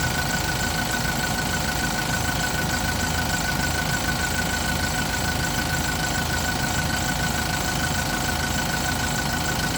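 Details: Yale diesel forklift with a crank-no-start fault (ran about 5 seconds then shut off; owner had checked fuel and pump), running after a boost start; even, steady diesel clatter at settled idle, no misses or extra knocks; normal.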